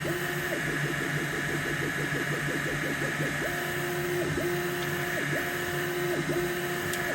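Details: Elegoo Neptune 4 Pro 3D printer: fast chirping squeaks rising and falling in short runs as the motors move, over a steady fan hum; squeaking during operation, cause unknown.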